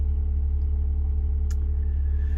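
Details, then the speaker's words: Old International diesel tractor idling, always very noisy, rockers last set at head gasket and injector cup job: steady idle with fast even clatter over deep throb; owner suspects it may be due a rocker job/valve set, unsure if normal. "Remember go down in the comment section if that rattle is they're supposed to make that noise cuz it's always been like very noisy but I might be it might be due a rocker job get the valve set"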